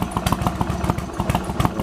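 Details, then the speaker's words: Yamaha Virago XV1100 V-twin idling steadily with its uneven-firing thumps and no misses or coughs, after replacing the regulator rectifier behind a long-term intermittent cough and splutter; normal idle, first test in the garage. "wow this is running nicely as you now change the regulator rectifier"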